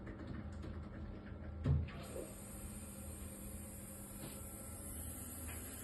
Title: Worcester 24i Junior - banging / hissing sounds